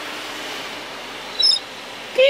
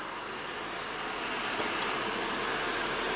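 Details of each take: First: Audi A6 C7 sunroof works but makes noise: a short high squeak over the motor's steady hiss while moving, before overhaul and cleaning, which cured it. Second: Audi A6 C7 sunroof after overhaul and cleaning: soft even motor hum while operating, previous squeaking gone, noise fixed.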